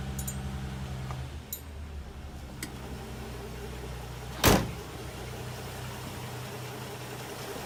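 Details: 1960 XK Ford Falcon with an original 71,000 miles, idling on its first start in 12 months. Low, even rumble with one brief clatter; smooth, healthy idle.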